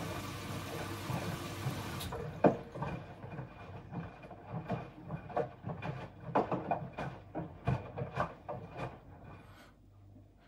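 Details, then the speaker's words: Bosch Serie 4 washing machine, new, during wash: water swishing and soft taps from clothes and detergent dosing ball as drum turns evenly, motor barely audible; very quiet, healthy. "okay we can see it's doing its thing it's very very quiet I'll be here the motor all we can hear is the clothes sloppy them out really"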